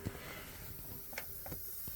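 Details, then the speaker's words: Vaillant ecoTEC Plus combination boiler with low pressure (F22 fault): soft steady hiss as water trickles in through the opened filling valve, topping system pressure up toward 1.5 bar; normal. "just a little bit and you'll hear the water going in and then go look at the pressure and it'll gradually start going up to 1.5"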